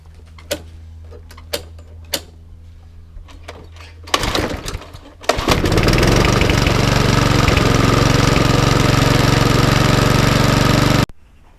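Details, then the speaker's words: Non-working self-propelled lawnmower with some corrosion, windy outdoors: a few pull-cord tugs, then it catches and roars about six seconds before dying abruptly; fires but won't keep running. "So this is a complete non-working, but as you can see it was firing."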